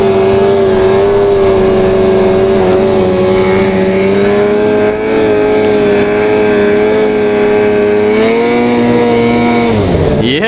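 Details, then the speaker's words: Two-stroke snowmobile after cleaning dirty power valves that caused bogging: clean, strong high howl climbing smoothly with no stumble or bog under acceleration; sled back to normal. "Yes! My sled is back to normal. Can you believe it?"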